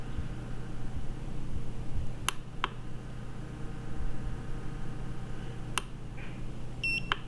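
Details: Iceco JP40Pro 40-litre 12V car fridge powered on through its 12-volt plug from a Jackery: a few faint clicks, then a short high electronic beep over a low hum. Normal power-on beep.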